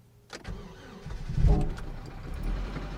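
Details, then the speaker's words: 2007 Chevy Cobalt engine run with 10 lb of melted candle wax in place of engine oil; cranks briefly, catches, then runs lumpy and uneven with a rough, stumbling low rumble right after start; oil pressure light on; rough running from wax-contaminated oil. "All right, it still runs somehow. Sounds horrible. Let's see if it warms up and comes out of it."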